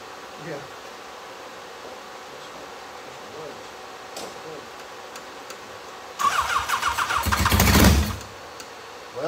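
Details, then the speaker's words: Legends race car, first start after motor swap with new headers: engine cranks, catches roughly for about two seconds and dies; won't keep running, believed flooded. "okay I think we got it flooded we're gonna check something out be right back with you"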